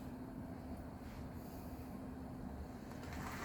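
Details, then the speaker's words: Bachmann/Hornby Thomas the Tank Engine model locomotive (Thomas) test run on club layout: quiet steady motor whine with soft wheel rumble, no stutter or surging; runs smoothly, normal. "that one's a runner let's bring him back yeah that Thomas is running pretty good"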